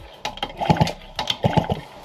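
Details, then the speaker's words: Yamaha BOP2 scooter engine kicked over with the spark plug removed: two short bursts of puffing strokes, piston moving freely with no clatter or binding. "You can hear the compression or you can hear the piston moving at least."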